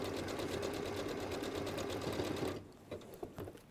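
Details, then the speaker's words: Sewing machine stitching through about eight layers of fabric at a bag handle gives rapid steady thumping of about four strokes a second, then stops; the well-used needle needs changing when it thumps like this. "and this needle is well used and you can you can use your toe on the needle needs changing when you can hear it thumping"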